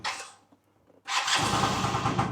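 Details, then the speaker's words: Owner's own red Yamaha BWS two-stroke scooter started from cold (it always does this from cold): a brief sluggish crank dies away, a pause, then it catches into a busy idle; laboured hard starting, cause not confirmed. "did a little bit then it's just struggling to start now it's making a lot out of me"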